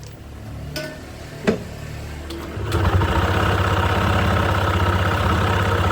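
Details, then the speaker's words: Honda PCX 160 after replacing the drive belt, weights and slider pieces at 33,000 km without prior belt service: a few clunks, then a smooth steady idle with no belt slap or rattle, noticeably quieter than before. "So, yun, napansin ko rin na medyo nabawasan na ulit yung ingay niya. Unlike before na bago ko siya ipalitan, medyo maingay talaga."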